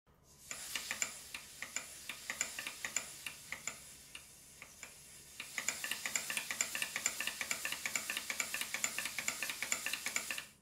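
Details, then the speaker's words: Stuart Models Southworth duplex steam pump, after the valves were repositioned: light metallic ticks at about two per second in an uneven, dotted, skipping beat; the valve timing is still off. "as you can clearly hear the valve timing even though I've moved the position of the valves is not really good it's still skipping"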